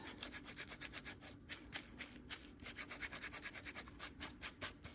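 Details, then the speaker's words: Ford Fiesta original clutch release bearing, gearbox removed, spun by hand: a dry, gritty rasp with uneven scratchy pulses, a little grindy; the new replacement bearing had broken. Release bearing roughness; it won't be reused. "this is the original one um and even that it's not it's all right but it's not too funny I don't know if you can hear that but it's like"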